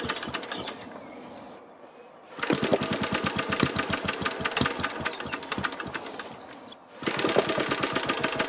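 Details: BSA 300 watt ex-military generator (Johnson Chore Horse copy), choke out, generator off, flexible exhaust pipe: rapid ragged pulling with a few muted firings that never catch; weak spark, open-circuit magneto secondary winding, timing suspected off.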